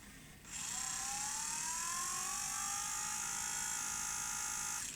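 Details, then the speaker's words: Sony EVS-1000E Hi8 video recorder (1989, Sony U-mechanism deck) under repair: high whirring in rewind rises in pitch as the reels speed up, with a rough scraping edge; the earlier grinding is gone, just a noisy tape transport in rewind. "uh well it's not making the gruning noise I guess it just makes that sort of noise in rewi"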